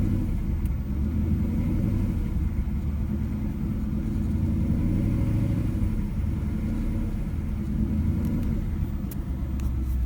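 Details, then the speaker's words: 2011 Mustang GT V8, started cold and held around 1,800 rpm with a deep, rapid knocking that persists until fully warm; dealer says piston slap, owner suspects rod bearing. "I want to start up cold my engine makes kinda like a knocking noise when I read it to about 3000 and doesn't stop until the engine is completely warm"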